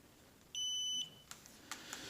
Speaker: So first you test between the terminals. Make sure you have a continuity there between all three.